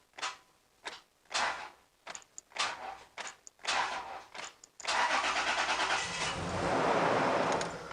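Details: 1999 Holden Jackaroo 3.5 L with an intermittent no-start, battery at 65% charge but not the fault: several short, broken cranking bursts cut out before it catches; starter relay/solenoid circuit suspected, failing starter solenoid.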